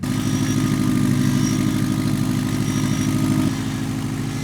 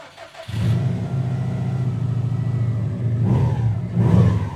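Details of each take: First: 2007 Subaru WRX STI, abandoned with blown motor, first start after being made to run: rough steady idle with quick puffing tick about three per second, an exhaust leak apparently from the EGR port on the right side. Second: 2007 Subaru WRX STI after rebuilding the blown engine, first start before test drive: engine settles into a steady even low rumble with clean revs, no ticking or leak sounds; running healthy.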